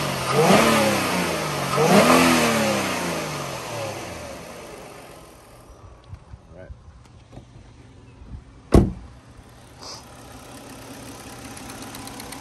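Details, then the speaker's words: 2009 Kia Rondo EX V6: two quick throttle blips, engine note climbing and falling smoothly, then settling back to a quiet idle; normal, healthy revving. "I'm gonna stand here for maybe 10 or 15 seconds let you listen to it at idle and then I'll rev it up a little bit"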